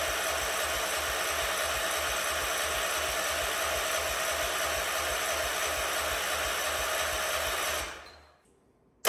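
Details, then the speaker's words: A 47-year-old Wheel Horse tractor, sat with no fuel cap and no fuel filter, cranks evenly for about eight seconds without catching; the owner suspects a bone-dry carburetor (fuel starvation), and ether later makes it fire, showing good spark. "it's probably going to crank over for a minute anyway cuz I'm sure that carb is bone dry and it's going to have to get filled back up"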